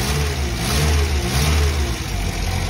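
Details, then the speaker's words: Engine after flush with Meca-Run cleaner, oil and filter change; oil pressure now a bit over 4 bar. Earlier top-end tapping "clic clic" is gone: smooth low drone while revving and settling, sounds healthy. Manifold gasket and carburettor leaks still present. "Avant on entendait du clic là-dedans. clic enfin pas du clic petit hein au sens propre du terrain mais un clic clic clic clic ça tapait là-dedans maintenant ça le fait plus"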